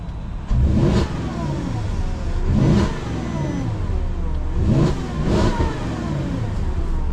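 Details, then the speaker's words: Porsche Cayenne V8, just MOT'd, started from inside: three sharp throttle blips about two seconds apart rising and falling cleanly with deep rumble, no knocks or squeals, likened to an Audi V8; normal revving. "It's like a bloody RS6. Sounds like an Audi V8. Actually does, mate. Actually sounds like an Audi."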